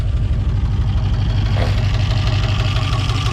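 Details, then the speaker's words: 7.0 L (427 cu in) LSX engine build idling: deep, lumpy V8 rumble with even firing pulses and no knocks or ticks; runs great. Some smoking, owner suspects valve cover gasket oil leak. "And it runs great."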